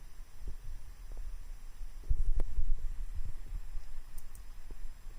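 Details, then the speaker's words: Small 24 V fan driven by an Arduino MOSFET PWM at 50% duty, at 8–16 Hz, drawing about 50 mA: soft low throbbing with speed surging and sagging unevenly, pulsing because the PWM frequency is too low. "so this is eight Hertz turds can hear it fluctuating faster and it's at about 50 milliamps 16 Hertz"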